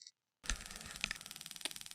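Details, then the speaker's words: Honda J35 on Microsquirt, TunerStudio coil test mode, coil A (cylinders 1 and 5), before first start: after a short silence, sharp even high-pitched spark ticks about fourteen per second without dropouts; coil is good. "so if you can hear that i doubt you can see it i can't get the camera too close to it because it's such a high frequency it'll start disrupting the uh camera but that one is good"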